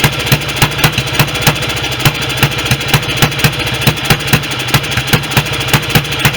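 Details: BSA B31 single-cylinder with magneto ignition, first run after restoration, no air filter gauze, oversized carburettor jet: steady heavy thump about three to four beats a second, like a rich idle; rich running suspected from large jet.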